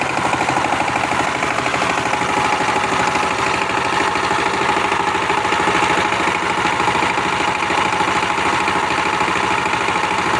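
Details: Power tiller diesel engine after nozzle and injector replacement (previously making a "tes tes" noise and not taking load): even, steady chug at constant speed with no misses, knocks or hunting; idles normally again.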